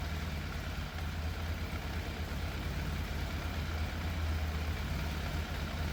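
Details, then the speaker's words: Fire-damaged 41,000-mile Yamaha FZ750 with choke fully off: a low, lumpy idle with an uneven beat and dropped pulses that is hard to set and sometimes cuts out. Middle two cylinders' exhausts feel cooler than the outer two, so a slight misfire is suspected. "The engine does sound like it's missing a little bit, and based on how much heat I can feel coming off some of the exhausts, the middle 2 exhausts, or the exhausts coming off the middle 2 cylinders are a bit cooler than the outer 2 now"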